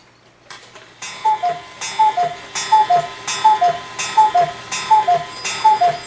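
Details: Hebert Herr 8-day cuckoo clock, with its movement oiled and the bird door wire adjusted, hung on the wall without a pendulum. It gives an even tick of about 82 a minute with a clear two-note cuckoo, running steadily and well.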